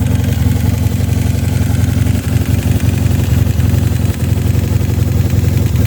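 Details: 1986 Honda CB450S PC17, 140 main and 35 pilot jets, pod filters, airbox removed, wrapped headers, SC Project mufflers: lumpy, loud idle with a regular knock about three to four per second; source of the knock unclear.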